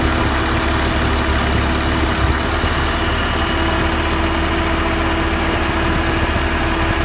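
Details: 1991 Honda Civic after rebuilt engine, new clutchless Matsushita AC compressor replacing one with loud rapid ticking: steady even idle with smooth compressor hum, no ticking; compressor running quietly and healthy.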